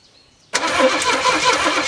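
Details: M715 military truck first start after about six or seven years unused, 10–15-year-old plugs, dirty tank, extra fuel filters added: silence, then it fires abruptly and catches into a steady, slightly rough run.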